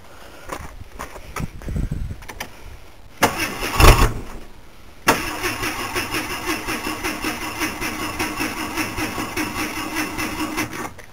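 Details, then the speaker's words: Vehicle with muffler removed, before new pipe fitted: starter churns several seconds with a couple of false catches, then fires into a loud open-exhaust idle; hard starting, long crank. "it doesn't want to start I just started it like a little bit no real change in how it sounds"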